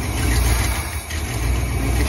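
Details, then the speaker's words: Ford Fairlane V8 after distributor replacement with new plugs and wire harness, slightly cold, vacuum advance disconnected before timing set: deep steady burble, no misses or ticking; normal cold idle, much better than before. "Kicsit hideg. Sokkal jobb, mint amilyen volt régen. Nagyon szépen jár."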